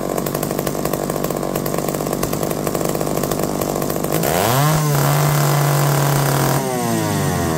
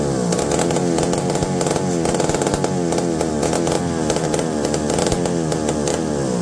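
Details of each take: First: McCulloch D44 two-stroke chainsaw, revived after 15 years: uneven buzz revving up then dropping away with ragged stumbles under resistance despite hot spark by hand; owner suspects coil, not confirmed. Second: McCulloch D44 direct-drive two-stroke chainsaw, revived after 15 years unused: revs up and falls back repeatedly, picking up cleanly without stumbling; runs good, though owner later suspects the coil needs baking.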